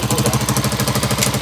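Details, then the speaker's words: Honda TMX155 single-cylinder after an engine overhaul: even beat at about fourteen pulses a second, no knocks or rattles, the engine running clean and healthy. "Ayun na, umandar na mga kabro. Ayos na."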